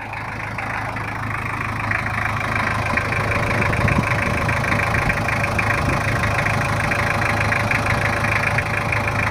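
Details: Toyota Kijang LGX 2.5 diesel idling after service, previously rough with valve clearance due; now not as rough as before: steady, even low rumble with fairly regular clatter and no heavy knock, normal idle.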